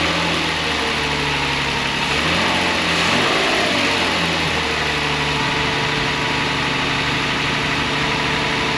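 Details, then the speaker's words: 2004 Toyota 4Runner, 4.0 L V6, automatic, 4WD, cheap replacement engine just installed, first start: smooth steady idle with one quick throttle blip settling back down, sounds healthy; a small tick noted later on test drive. "Wow. Sounds great to me. Definitely good enough to put together the rest of the way."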